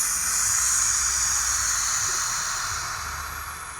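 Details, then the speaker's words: Peugeot 3008 turbo, 6-speed manual, with fault code P2279 (turbocharging circuit, suspected leak): steady high airy hiss over faint engine hum with engine running; cylinder head cover suspected as leak source, replacement of whole cover considered; not confirmed. "Got it. So, I think the cylinder head cover is the culprit. Once you start leaking from it like this, to be honest, sometimes it might be easier to just replace this cover, this entire cover."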